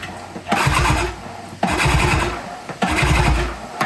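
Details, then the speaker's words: Brand-new unbranded Yamaha Enduro-style 20 hp two-stroke outboard pulled over by hand: rhythmic even, firm whooshing pulls about once a second, showing good compression. "it's got legit compression. That's pretty good."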